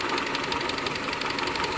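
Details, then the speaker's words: 2001 Mitsubishi Galant 2.4 4G64 at idle: a quick, even tick keeps pace with engine speed; the classic lifter tick, with oil pump gear misalignment at the timing belt, coke buildup or overfilled oil named as possible causes. "4g64 gallant 2.4 the classic lifter tick things that can cause litter tick our misalignment of the oil pump gear on the timing belt most people don't realize that that's important"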